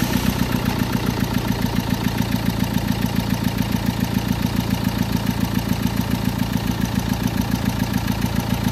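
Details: Renault Lodgy diesel at idle after overheating and head gasket repair (head refitted with sealant paste, oil in timing belt cover): heavy regular knock about three to four per second over the clatter; piston slap and valve-to-piston knock.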